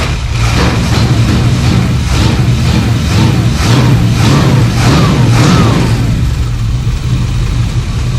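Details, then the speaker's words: 1972 Plymouth Fury III 360 V8, 727 Torqueflite, after installing four-barrel intake and Edelbrock four-barrel carburetor, idle mixture screws about 2.5 turns out, choke wide open; steady even rumble, idling on its own for first time; normal idle. "There we go. It's never idled before on its own. It's always set. It would idle with the choke on."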